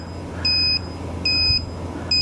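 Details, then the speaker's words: Electronic torque wrench on a 2019 Ford Escape front wheel hub bearing, tightening in 90-degree angle mode: shrill beeps about 0.3 s long, repeating roughly every 0.8 s, warn that torque exceeded 110% of maximum. "Okay. Over maximum torque of 110%."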